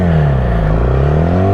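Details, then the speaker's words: Yamaha R6 warming up after new spark plugs and air filter replacement: crisp, even rev that climbs and settles smoothly with a clean steady note, no misses or rattles; owner feels it revs much faster, normal healthy revving. "oh oh damn I could already tell the bike revs a lot faster combination of smart plugs in the air filter definitely making a difference"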